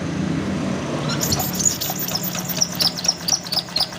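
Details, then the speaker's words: Old Honda Vario 125 that arrived dead: the starter cranks with a light "cik cik" ticking about twice a second, also heard at the CVT, and it never fires despite good spark. A leaking water pump seal let coolant into the engine via the cam chain path, mixing it with the oil. "Oke, jelas ya. Untuk pengapian ada. Tapi untuk suara mesinnya ini seperti ini ya. Cik cik cik cik."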